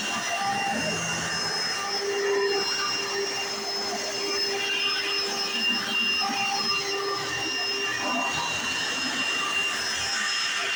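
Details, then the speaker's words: 1995 Hoover Encore Supreme U4261-930 upright vacuum, barely used, bought used in great condition: steady high-pitched motor whine with loud even brush-roll hum, no wavering or grinding; owner says brush roll sounds unexpectedly like a Singer vacuum; normal running. "well I want to say is the bush wall in this one sounds a lot like a an a late 90s early 2000s singer abysal abysal singer style vacuum which is really strange I expect to sound different"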